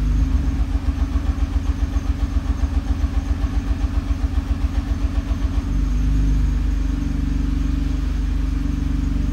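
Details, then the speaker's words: Nissan R35 GT-R: a rhythmic popping rattle about twice a second through the prop shaft that then smooths out. This is an engine misfire, not a bad bell housing; the cause could be a fuel injector, spark plug or burnt valve. "a rattle and pop noise is an engine misfire. See it all the time."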